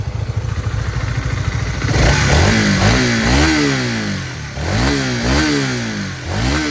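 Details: Honda CBR150 single-cylinder: revs climb smoothly and drop back several times, pitch rising evenly with throttle, no knock or rattle standing out; normal engine revving.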